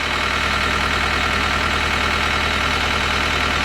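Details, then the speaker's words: 2010 John Deere 320D with 4024 diesel, hard to start, just fired: steady idle with a thin, constant high squeal over it. Alternator belt squeal, but the alternator is charging; expected to quit once voltage comes up. "Little belt squeal on the alternator. But the alternator is charging."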